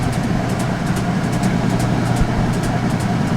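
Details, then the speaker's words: Washer finishing the spin on a load of towels, with a whistle heard earlier: light ticks about three a second over a steady low drum rumble as the spin winds down; normal ticking as the laundry turns. "It's making the tick, tick, tick, tick. It can do that. As the laundry turns."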